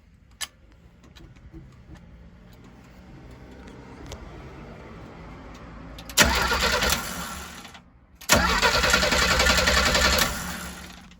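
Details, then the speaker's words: 1968 Chevrolet G10 van, 250 CID engine with one-barrel Rochester Monojet carburetor, cold start after sitting overnight; long steady starter chugging, never catching, because the choke isn't closing; starts only with choke held fully closed by hand. "See, that's no bueno. It should start up right away. So what I'm going to do is I'm going to close that choke manually, put the throttle down a little bit, and close that choke."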